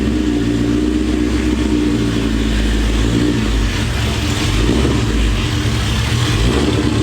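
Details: Built, cammed, supercharged 2003 Mustang Cobra V8, about 700 hp, Borla ATAK exhaust, 93 pump gas, after a retune reaching 22 psi boost, driving in rain at about 30°F: deep steady rumble, even firing, no misses or popping; normal running.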